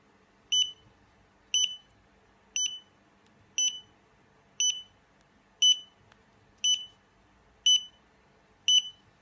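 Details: Xiaomi Yi action camera after a failed firmware upgrade: a steady high chirp about once a second that continues until the battery dies; the camera is bricked and won't start.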